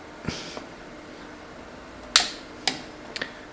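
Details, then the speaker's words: Megasquirt EMS-PRO relay board for an Early Bronco TBI conversion, powered only by a 12 V bench supply: a sharp click as the main relay pulls in, then the fuel pump relay clicks on briefly and drops out as one light goes out. Normal power-up. "so it looks like i have lights and i hear a click and that one light goes out"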